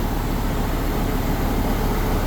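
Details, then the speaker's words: Mopar V10 dually truck at start-up right after throttle body cleaning with brake cleaner and replacing an air filter about a year old (fuel economy had dropped): deep, lumpy, unsteady rumble with one cylinder misfiring before it smooths out; rough running. "Got a cylinder misfiring. It started up pretty good though for what it."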